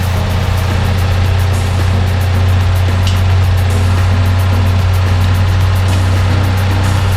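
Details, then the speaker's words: Citroen 2CV under restoration at Peak 2CV, on a very cold January day: even, steady low thrum of the air-cooled twin at idle, no knocks or misses; healthy idle. "Wonderful. Sounding good, Jonathan, sounding good. Lovely."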